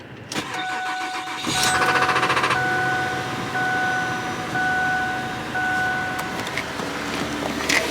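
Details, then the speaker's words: 2007 Ford Fusion, cold start, checking for engine noise: short crank, catches within a second, settles into a fast, even cold idle with no knocking or ticking; sounds healthy. "Okay, I hope you guys heard that. That was obviously a cold start."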